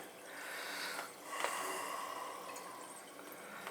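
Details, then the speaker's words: Old boiler with no heat, refilling through a newly changed water feeder after the tank was bled. Hissing, trickling water with irregular drips comes from a fitting leaking too much to leave. The fitting will have to be replaced. "Oh, here we go. I'm gonna have to just change it. Can't be leaking that much."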